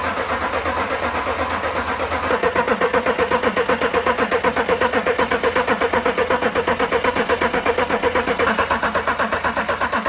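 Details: Land Rover Defender 90 with swapped BMW X5 engine: steady cranking about four beats a second with only a brief split-second catch, never runs; fuel delivery suspected, not confirmed.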